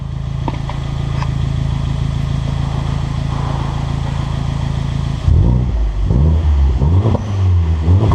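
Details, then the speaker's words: Abarth Punto Evo, warmed up to temperature, revved in normal mode with sport mode to follow; loud but no pops or bangs, even idle then smooth rising and falling revs with no knock or rattle. Normal revving. "Now this car's pretty loud, you can hear it, but it doesn't have pop and bang."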